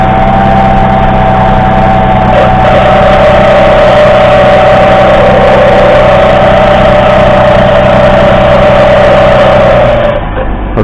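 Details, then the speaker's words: Mercedes C240 W203 with M112 V6 at idle; loud steady high whine over smooth idle, not belts but worn power steering pump bearing, before pump replacement. "that's not flipping belts that is power steering pumps toasty"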